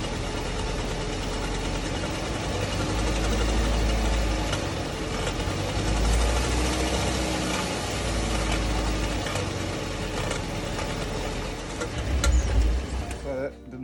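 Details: 2011 Jeep Grand Cherokee on jack stands with wheels spinning: a loose, uneven knocking about three a second under the drivetrain rumble, traced to a driveshaft joint; fixed by replacing the complete driveshaft assembly.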